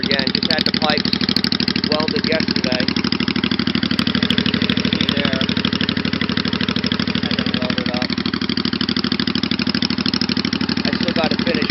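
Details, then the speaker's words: 1985 Honda Shadow VT500 bobber, new motor, freshly welded pipes, carbs recleaned, new fuel lines, hotter plugs, air/fuel screws at stock 2.25 turns, briefly warmed but on choke: steady, slightly lumpy twin idle, no knocks or misses; normal cold idle on choke. "it's still on choke still on choke might still be a little uh cold as far as wrapping a throttle"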